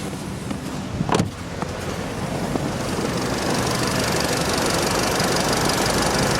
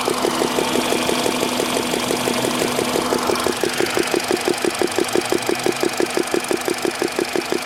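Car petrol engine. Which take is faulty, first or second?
second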